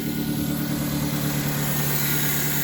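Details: 1999 Mazda Protege idling after cleaning a dirty MAF sensor: steady even idle, smooth low hum, no misses, surges or hunting; engine running normally.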